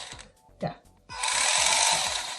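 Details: Hurricane RC buggy drive motor after plugging in the battery and cycling the remote: steady high whir after handling clicks, running smoothly; car drives but the steering servo does not respond at all, so the servo is to be replaced.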